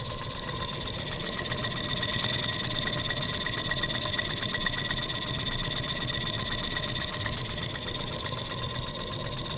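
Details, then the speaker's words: German showman's steam engine on a steam trial partway through restoration, light throttle, forward rotation. Even steam beats about four a second, smooth and steady, with no knocks or rattles; the engine runs healthy. "sounds good no knocks or rattles let's pinch our valve timing back we know we have forward rotation"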